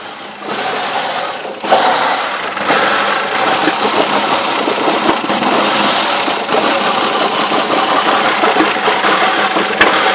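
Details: 2001 Ford Escape cold petrol engine idling unevenly, note wavering and stumbling; no error codes, injectors and throttle body already cleaned; runs like new once warm, rough idle only when cold.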